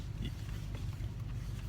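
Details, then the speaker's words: 2004 Chevrolet Silverado idling, steering turned, after replacing the control valve inside the power steering pump that previously whined on turning; low, soft idle rumble with no whine or squeal even at full lock; pump quiet and healthy. "in here this trucks is idling before you you know I turn it you hear that 10 the end of the I mean even there it's not making a squeal"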